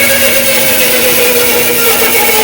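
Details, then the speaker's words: Powermatic 14-inch bandsaw with Carter guides running rough: a steady harsh hiss with a faint wavering tone and constant rattle, parts visibly rattling; Carter guide bearings set too far forward and thumb screws loose, needing guide adjustment. "So slow it down. You also notice it looks like things are rattling back and forth."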